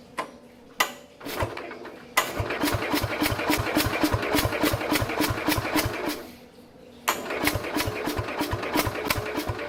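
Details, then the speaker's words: 1969 Bolens 850 tractor, Wisconsin S8D 8¼ hp engine, unused three years, little throttle and choke: slow uneven cranking with huffing puffs that never run; owner suspects very low compression. "It's like it's trying to do something, but it can't. See, it just doesn't have enough guts to do anything, I guess. It's just like enough to basically help the starter along a little bit, turning the engine over, but it's not enough that it can run on its own."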